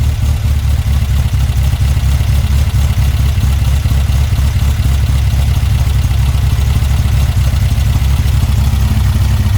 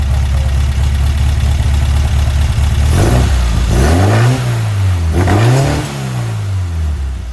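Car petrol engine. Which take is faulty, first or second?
second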